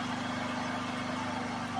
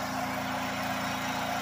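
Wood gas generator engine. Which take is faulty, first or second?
first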